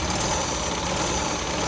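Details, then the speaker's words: 1973 MGB barn find, first start after sitting since 1980 with old gas drained and fresh fuel: loud, uneven rough idle, possibly as the right carburetor float sticks and floods, so throttle is held open; timing and carburetors still need doing. "sounds pretty good so it's running like a little rock i'm sure the ignition timing has to be done but mainly if these carburetors need to be gone through"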